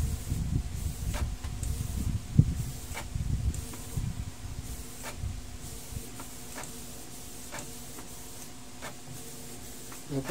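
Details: Canon G2010 printer after fixing P22 error by replacing the scanner unit; soft motor hum with regular light clicks as carriage sweeps and paper feeds, a normal print cycle, though cartridge may need cleaning.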